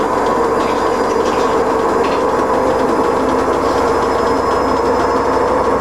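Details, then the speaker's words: Siemens iQ300 washer dryer on wool cycle with a pillow, loud continuous train-like rumble with gritty clatter through the spin; drum running rough, owner suspects worn bearings. "I'm walking near the bearings rumbling"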